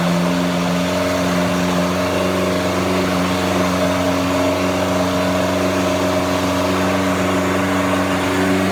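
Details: Junkyard 1984 Chrysler 2.2L turbo from Dodge 600 on engine stand, Holley HP ECU, fuel fed to factory rail: fires and settles into steady even run with slight rev once fuel arrives; engine running, owner questions oil pressure at 2,000 rpm.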